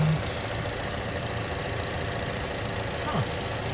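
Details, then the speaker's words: 2013 Chevrolet Cruze with AC on, after replacing the belt tensioner that caused a loud ticking: an even, steady idle with no ticking or knocking; fixed, normal idle. "I think that fixed it. Usually there would be a loud ticking noise, like you guys previously seen. But it looks like that was the solution. Sounds like, at least. There's no more loud noises. It's very quiet now, as it should be."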